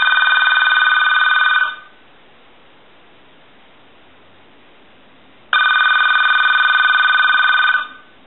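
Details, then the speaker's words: AT&T 530 Trimline telephone on a line analyzer, ringer switch on, ringing after initial checkout. Two bright warbling ring bursts about two seconds long with a long pause between, an even cadence; ringer works properly. "so now what we want to do is ring the telephone I want to make sure that we have our switch in the on position we'll go ahead and ring it"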